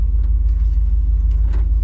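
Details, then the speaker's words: 1990 GMC TBI 350 V8, after repairing a bare wire that had it running on seven cylinders: a deep, even rumble in gear with no stumble or skipped beats; normal running in gear. "let me see how this truck feels when it's in gear Oh much better"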